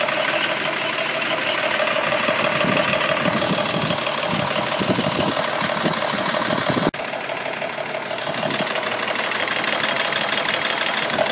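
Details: 1985 Mercedes W126 500 SEC, M117.963 V8 on petrol (LPG fitted, same sound), passenger side: steady idle with a light ticking rattle about two per second; hydraulic lifters suspected, and replacing two cylinder-1 lifters helped little.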